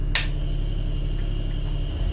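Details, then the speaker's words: Homemade car oil extractor using a refrigerator compressor, dipstick tube inserted, valve closed, starting to draw vacuum; very quiet steady low hum with one faint start-up click, slight vibration, running normally. "el mismo es de frigorífico pues tan apenas eh se oye el funcionamiento del mismo oímos un poco como que empieza a absorber"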